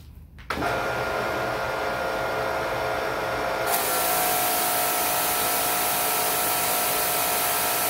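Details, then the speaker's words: Electric Karcher pressure washer with the foam cannon's nozzle swapped for a 3 mm one: motor settles into an even, continuous hiss of spray with no surging or throbbing; the earlier pulsing was from the too-small nozzle; steady pressure washer spray. "and if you saw that immediately different results seems to really fix the problem so in my mind the issue was not with the pressure washer at all it was really with the size nozzle I was using on this particular gun here"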